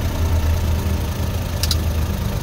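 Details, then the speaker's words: Suzuki DA63 with K6A engine: engine keeps a steady, even idle with the key off and even after the ignition harness is unplugged; run-on caused by wrong wiring installation. "hanggang ngayon ay naka-andar pa rin ang makina kahit naka-off position na ang susi."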